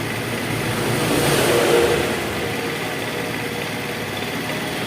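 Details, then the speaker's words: Honda Vario scooter that stuttered and died on throttle, after ignition coil and worn plug cap check, battery uncharged: catches at once, swells briefly, then settles to an even steady idle with no sputter or stalling. "Oke, enak ya, langsung ya. Oke, langsung bunyi."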